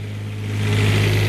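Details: Newly refurbished Onan 7.5/8K RV generator (water pump done) on a stand before install, breaker on with no load: a smooth, even low hum at constant speed with no misses or knocks. Running healthy.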